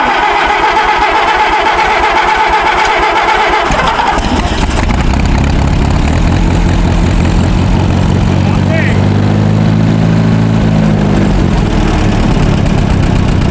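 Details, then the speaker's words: WD-45 tractor that sat in a barn 10–15 years, points good, fresh fuel in clean tank, stuck in gear: slow cranking chug, then catches and runs with an uneven, lumpy beat; rough running, needs tinkering. "it runs yeah it needs some it needs some tinkering"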